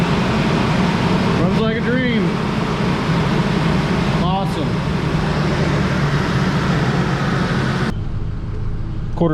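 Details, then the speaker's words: Ford F-150 after engine swap, first run once the throttle body connector was plugged in: steady, even idle, smooth low hum, no knocks, ticks or misses, good oil pressure and charging; normal idle. "good start this up again now you can hear it run"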